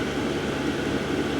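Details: Diesel heater fitted in a workshop shed (about £150) switched off via its button, running its own cooldown cycle from full power down slowly; steady rushing blower with faint fuel-pump whirr, even and unchanging; normal shutdown cooldown.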